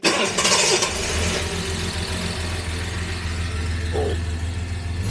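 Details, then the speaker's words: Jaguar XJ6 daily driver with a bad oil leak, hot engine started to idle 15 minutes with an engine flush added before oil drain and Rislone rear main seal treatment: quick start, steady even low idle, no knocks or ticks; normal idle. "We will um start the engine up. We'll let it sit here and idle."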